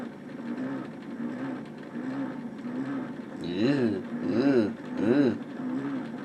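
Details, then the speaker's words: 1962 Argyll Minor reel-to-reel tape player found in a skip, first power-up, heads not cleaned, pots dirty: low steady motor hum with a groan about once a second, swelling louder and angrier; motors run continuously, source of noise unknown. "I don't know what is making that noise. The motors continuously run on this, it seems."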